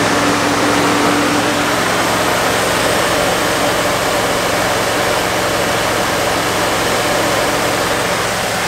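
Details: 1969 Fargo 500 dump truck, long-stored V8, just started on poured gas: uneven, lumpy idle with loud exhaust; rough idle, smoking pretty badly, slight oil leak at the exhaust manifold.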